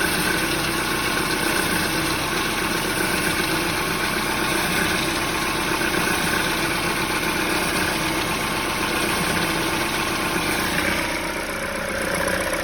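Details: Peugeot 308 at idle with a sudden frightening knock from under the hood: a fast, uneven knocking and tapping throughout, caused by the alternator belt, not the engine internals.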